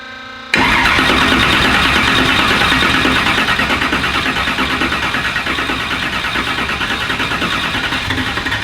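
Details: "Black Sheep" after repair, fresh oil (half used, half new) and new battery: catches at once into a loud steady lumpy idle about three pulses a second, no knocks or misses; healthy, snappy; normal start and idle.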